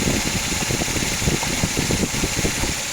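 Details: 2004 Suzuki Grand Vitara XL7 2.7 V6 at idle: rapid light woodpecker-like tapping knock. Complete timing belt set replaced 3,000 km earlier. Cause unknown.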